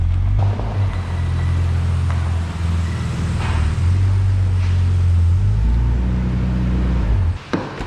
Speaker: This thing is gutless, dude. Oh, dude. That's an unhappy engine. That's an unhappy VG, dude.